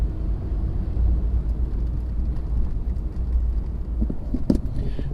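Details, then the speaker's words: 1991 Cadillac DeVille after replacing the struts, test drive down the street: steady low road rumble with no clunking or hollow bumping over bumps; front suspension sounds tight and quiet. "most important is that i don't hear any clunking noises anymore when i you know go over bumps or anything"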